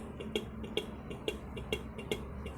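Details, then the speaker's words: Ducati 796 horn with the battery connected: with the mounting bracket bolt tightened, pressing the button gives only faint sharp clicks, about two a second, and no horn tone. Loosened, it works. The horn clicks without sounding. "It doesn't even wanna honk."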